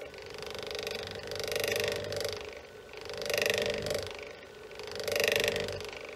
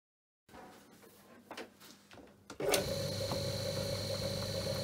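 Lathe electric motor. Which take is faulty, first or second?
first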